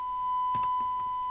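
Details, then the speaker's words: Uniden Uniace 100 CB27/81 UK FM CB radio after capacitor replacement, receive test with 100 µV from the signal generator: a steady test tone with a faint buzzy edge and clicks sounds marginal. IF stage suspected out of alignment, to be gone through next. "it sounds like it's a bit [Laughter] out not really very marginal I'll go through the I'm going to go through the if next because it just doesn't sound right"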